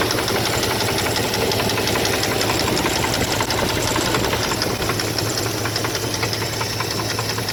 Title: 2002 dodge ram 1500 4.7 l v8 engine knocking